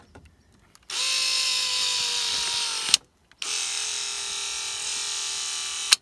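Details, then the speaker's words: 1989 Toyota van, original driver's-side power window motor/regulator, worst when closing: two runs of loud high whining buzz that slows and drags toward each end with a thunk at the stop, the motor struggling. "So you can see how that was a much noisier window and it was really struggling."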